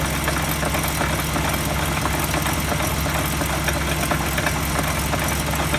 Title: ハブベアリング異音 サウンドスコープ診断